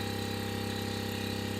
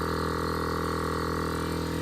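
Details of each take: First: On-board air compressor for an off-road Ford F-150, bench-tested on a different battery clamped directly, drawing a consistent 23 A while filling the tank: even motor hum with steady piston pulse, sluggish and low-pitched; pressure rising slowly; low supply voltage. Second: On-board air compressor for an off-road Ford F-150, after battery near 9 V with reversed leads was reconnected correctly: constant even motor hum with steady pumping drone, no labouring or stutter; fills quickly to about 100 PSI; normal running.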